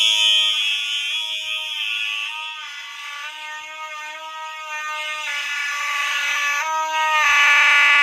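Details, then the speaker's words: Fire alarm horn on a test setup with many devices, after a wire came off: buzzy pulsing tone, thin and wavering, sagging and recovering; weak horn output, cause suspected, not confirmed. "My horn sounds like it's freaking dying."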